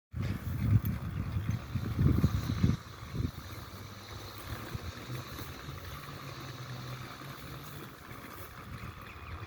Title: Eeve makes grinding noise, doesn't cut grass